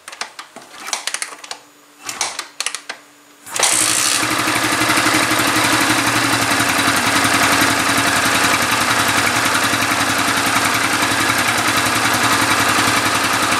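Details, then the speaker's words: 2013 New Vixion engine after rebuild with new pistons and block parts, fixing an oblique piston and block: fires after a few cranks and settles into an even, steady run with no knocks or rattles; sounds healthy. "lelei ma lamolemole le afi, bro, siaki le leo lea ua lelei, uo,"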